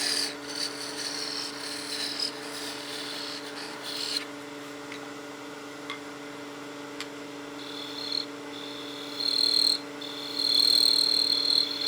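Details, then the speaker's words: Lathe turning a small bead on a Christmas gnome after parting the tenon down thin: a steady lathe hum with bursts of high buzzing rattle as the tool chatters under force on the small tenon. "you can hear that chatter that's just a really small Tenon that's a lot of force to be putting on it so it is chattering a little ways"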